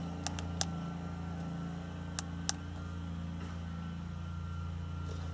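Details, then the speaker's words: 2011 Subaru Outback 2.5L boxer, 174k miles, idling after catalytic converter, front air-fuel sensor and rear oxygen sensor replacement for P0420: low, steady, even hum heard from the cabin, with a few light clicks. Normal quiet idle, no exhaust leaks. "as you can see everything is nice and quiet here in the cabin let's also check for exhaust leaks it as you can hear everything is nice and quiet"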